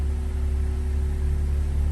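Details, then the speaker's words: BMW M135i after an engine rebuild from seized, with a reground crankshaft, revs dropping after cold start and no dash warning lights: even, steady idle with a smooth low hum and no stumble or knock; normal idle. "car is idling perfectly as a result 135i engine rebuild done"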